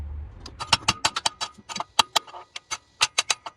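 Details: 2003 Toyota 4Runner, 2UZ-FE V8: sharp dry clicks repeat as the key is cycled, with no cranking; delayed start, one-click no start.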